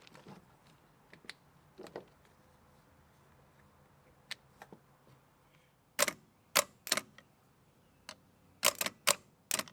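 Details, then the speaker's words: Late-1980s/early-1990s Massey Ferguson 50H backhoe, 4-cylinder Perkins diesel, removed possibly non-original starter bench-tested: sharp scattered clicks as Bendix kicks out, motor never spins; starter clicks but does not crank, needs replacement. "So the Bendix kicks out, but it doesn't, the starter motor doesn't turn. We definitely need a new starter,"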